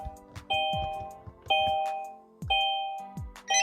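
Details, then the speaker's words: Kia Stinger GT with a Starline i96 Pro immobiliser, ignition on while setting up service mode: four bright chime tones about one per second, each fading evenly. The immobiliser's normal disarm tone. "Got our disarm tone. Now press one of the buttons 11 times, cycle the ignition, and we'll get 2 bleeps."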